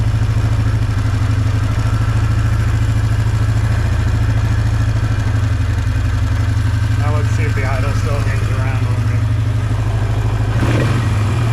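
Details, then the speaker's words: 2005 Polaris Trail Boss 330 that hadn't run in years: a steady low idle that hangs and sounds uneven and stumbly with faint crackles; an air leak at the intake boot is suspected and then seen. "it's either that or that air leak is causing the idle to hang around it's back to idle off and see what happens it'll probably stumble and die I'm sure which would make me more sure the air Le scenario"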